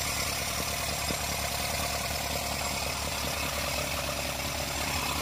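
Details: Isuzu NHR55 4JB1 diesel idling briefly, radiator not fitted, after valve clearance adjustment: steady idle with bright valve-train clatter; hard starting caused by leaking valves from too-tight clearance.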